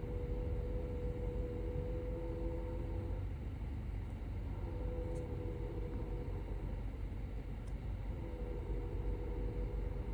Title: Seat Leon FR SC 2013 AC weird humming noise